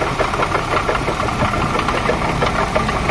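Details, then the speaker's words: 1995 Opel Vectra petrol engine idling with heavy uneven knock about three times a second from a rough, worn water pump bearing that was also leaking water; replaced with a new pump. "بصوا طرمبه الميه عامله ازاي خشنه وفي نفس الوقت فيها بش وبتجيب ميه"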